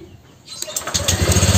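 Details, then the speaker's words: Honda Vario scooter after piston replacement, with a new exhaust fitted, catches quickly and idles smooth and even; the earlier grinding noise is gone, with some smoke from residual oil. "ternyata untuk suara mesinnya ini juga suaranya halus suara Nges lahar kulkasnya juga udah hilang ya"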